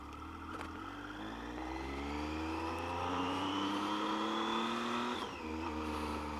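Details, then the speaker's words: Triumph motorcycle that idled roughly from cold until warmed 15–20 minutes, after major service including valve clearances: from a cold start, smooth clean revs climbing through the gears and pulling again, even firing, no spluttering; normal running. "Yeah, so this is from a cold start, and she hasn't been spluttering or struggling, so yeah, it shouldn't be a problem."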